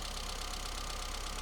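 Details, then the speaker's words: 1984 Austin Mini, unrun for a couple of weeks, started after lubricating Lucas 45D distributor and fitting new cap: small petrol engine idling slightly unevenly, faint stumble, no dropouts; not misfiring. Old leads and plugs still fitted. "Well, it works and it hasn't been run for a couple of weeks, so we'll forgive it being a little bit stumbly, but it's certainly not misfiring,"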